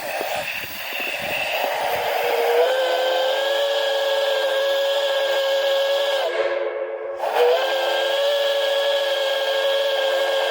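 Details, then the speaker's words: Airy, steady chord-like whistle with a brief dropout, blown for the first time on a small 100 PSI steam boiler after the safety valve lifted; the airy tone suggests wet steam from boiler priming. "kind of Airy but not bad that's s pretty good not bad it's just a 100 PB boiler anyway"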